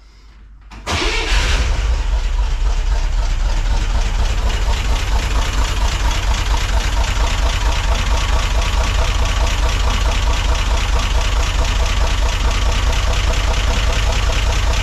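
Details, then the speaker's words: 1963 Corvair engine after valve readjustment, restarted after about an hour, not yet warmed up: catches and settles to steady idle with a faint regular tapping underneath; noisier clang seems gone, owner thinks something still remains; engine ticking noise. "I think the uh the valves are in a better spot so I think we could cross that off the list and I think that it definitely makes less noise I still think there's something there"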